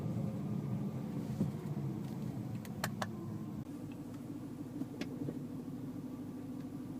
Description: Second clip - overly loud DCT clunk noise from N, D, R